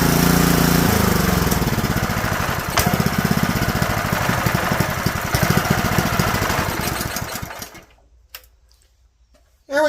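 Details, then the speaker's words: Honda GX160 junkyard engine after a makeshift carburetor rebuild: it fires and runs with an uneven, lumpy beat, then dies out. It only runs on partial choke because the carburetor jet is still partly clogged. "So it runs, but it has to have partial choke on it in order to run."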